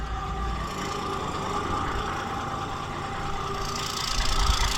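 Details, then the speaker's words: 1978 Ford A64 wheel loader just started after the starter was slow to engage, left to warm up: low, steady diesel clatter at idle with an even beat and no misfire or odd knock. Normal idle. "Okay, yeah, that fired right up, but I just gotta forget to take this off."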